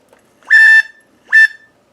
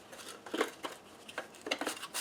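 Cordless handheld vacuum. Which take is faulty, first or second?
first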